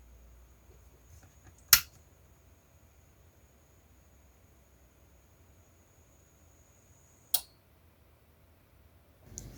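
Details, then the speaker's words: Repaired inverter welding machine with its cooling fan turned off: two crisp single relay clicks at power-up with a faint high tone between them. The relay pulls in cleanly, which is normal. "Now you can hear the click of the relay."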